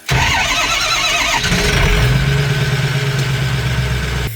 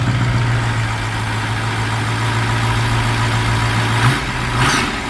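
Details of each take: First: Strokestang diesel back at the shop after a turbo blew at Burnout Wars: brief lumpy cranking, then it fires and idles slightly off with an uneven low thrum; owner thinks the engine is hurt, uneven cranking suggesting compression loss. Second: Mustang ("Strokestang") just fitted with a new turbo: steady low idle with a couple of clean blips rising and settling smoothly, no whistle or rattle; turbo sounds fine, normal idle.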